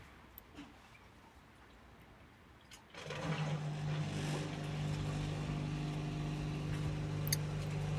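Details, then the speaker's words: Indesit IWDE126 integrated washer dryer, dryer program 7 or 8 running: after a quiet moment motor starts with steady low hum and even drum rumble, no knocks or scraping; dryer running normally. "And that seems to be running fine also. So I'm pretty happy with that."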